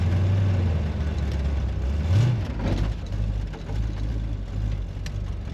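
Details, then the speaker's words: Gunrunner with its one-piece front end removed starts up and runs well, a low steady rumble with a brief rev blip then even idle; sounds like a beast. Coolant leaking onto the ground, may need transmission fluid, tach works. "She starts up and runs good. Sounds like a beast. An absolute beast."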